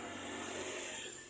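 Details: Suzuki Carry Futura, cold morning start: raspy snoring hiss from front underside of engine, fading after minutes, returning with throttle; clogged oil strainer starving pump, cleaned in fuel; alternator wrongly suspected first.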